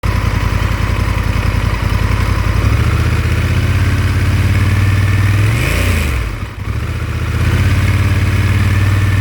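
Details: Honda Africa Twin 1100 idling with a loose, uneven rattle riding on the beat, persisting through a brief rev and drop; engine rattle, cause unknown.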